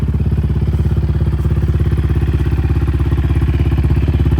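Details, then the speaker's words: Yamaha Raptor 700 single-cylinder ATV, long unused, in neutral with airbox off; deep, even thumping idle with a steady beat and no misses or knocks, healthy and well tuned. "But yeah, like I said, it's been sitting for a long time and as soon as I started it the first time, it started up instantly. Like, this thing is spot on tune-wise and the engine runs pretty"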